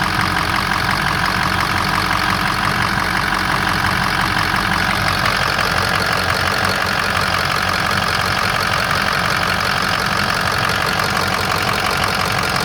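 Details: 2007 Ford F250 4WD, 6.0 diesel, 147,000 miles, idling: steady diesel clatter at even idle, no misses, knocks or huffing; no blow-by, no coolant system pressure from EGR or oil cooler; healthy, normal idle.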